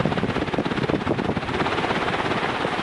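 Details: 1991 HRS L-356 industrial ceiling fan after remake with new bearings: soft, steady purr up close with airy rush; bearings very quiet, slight wobble.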